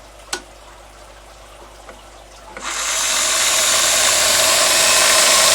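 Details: BWS 230 electric motor spinning up on a variable supply: quiet with no sparking at 7 V and 12 V, then at around 20 V a harsh crackling hiss as the brushes arc on the commutator.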